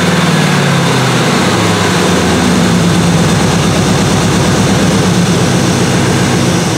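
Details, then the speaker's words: 1977 Malibu low-mileage machine-shop-built V8 during cam break-in, oversized 770 carburetor; loud, busy high idle with an even, fast beat and no separate knock; owner says any apparent rod knock is just the audio; healthy. "It seems like I'm always hearing rod knocking. So if you're hearing that, that's not what it is. This motor is a low mileage motor. It was built right."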